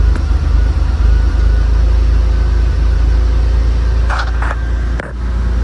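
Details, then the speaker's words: 1999 Mitsubishi Montero Sport after replacing a fuel filter suspected clogged by tank rust; it used to hesitate every few seconds with the tach needle bouncing. Now a deep, even idle holds steady without dips. Normal idle. "before the engine would hesitate every few seconds and the needle on the tachometer would bounce around but now you can see it is nice and smooth"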